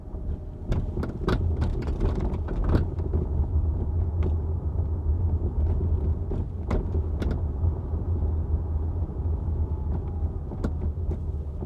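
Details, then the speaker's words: Hyundai Ioniq 5 driving over bumps, microphone in trunk beside rear hatch: sharp irregular clacks and rattles over low road rumble; hatch rattle for months, covered by a TSB, recording exaggerates it. "for wow this rattling sounds extra horrible on the recording just to remember the microphone is in the trunk of the car right now sitting right next to the hatch"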